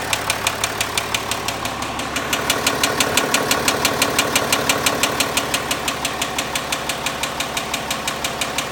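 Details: Land Rover Discovery 4 with 64,000 km at idle: sharp, evenly spaced ticking, several per second, clear above a quiet idle; the owner attributes it to crankshaft failure, a common problem.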